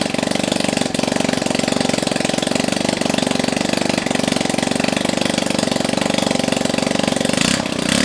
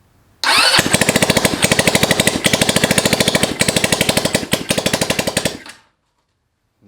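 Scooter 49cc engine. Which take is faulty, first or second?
second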